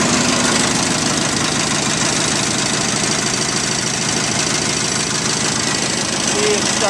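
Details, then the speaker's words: 1973 Terra Jet fitted with a replacement single-cylinder engine from a Craftsman lawnmower, throttle on a snowmobile cable and choke on the console: just after starting it holds a steady, even chatter at constant speed with no misses or surging; normal running. "we're going to start it up here for you so you can hear it run"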